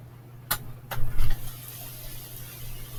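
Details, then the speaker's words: Ford 460 big-block V8 in a 1996 Holiday Rambler RV, first start after sitting unknown years, fed by an external electric fuel pump: a few clicks and short surge, then catches and settles into a low steady even idle; runs strong. "So, there you go. That is the motor, and it runs strong."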